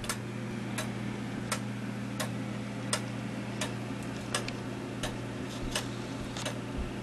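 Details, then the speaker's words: Gilbert 1913 countwheel clock movement, overhauled and refitted in a non-original case: crisp ticks roughly every 0.7 seconds, spacing slightly uneven; movement runs well, beat still to be set by adjusting the crutch. "Now, I guess you can hear the ticking right now. All that you need to do is to adjust the crutch, which is this piece of metal right here."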